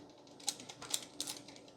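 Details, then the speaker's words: Toshiba Libretto laptop from Japan, tipped after drive removal: three sharp little clicks about half a second apart as a loose screw slides around inside the case. "I wonder where that noise is coming from. Uh-oh. There is a loose screw."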